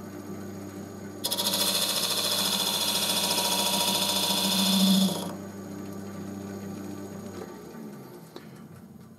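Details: Wood lathe scraper cut with only part of the edge engaged: spinning hum, then about four seconds of even cutting hiss with no chatter. A clean, normal cut.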